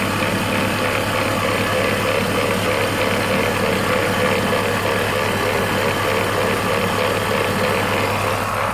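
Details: BMW E46 330Ci M54 engine: steady idle with rough gritty mechanical chatter over engine hum; engine grinding noise, source not identified.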